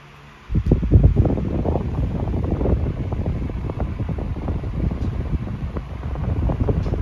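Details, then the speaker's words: SMC 12-inch TR-12 oscillating desk fan (2001-02) in near-new condition, running on high speed. A steady low whoosh and even hum with no rattles or ticks; normal. "uh I guess we'll turn it on high speed first I like it better that way get rid of that paper blowing around behind me reasonably powerful fan"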